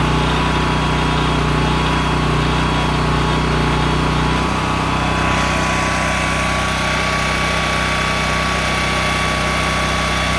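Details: Honda EM6500SX electric-start generator after carburetor cleaning and oil change, loaded with a heat gun through an amp/watt meter. A loud, steady drone holding constant speed with no hunting or surging. It runs normally under load.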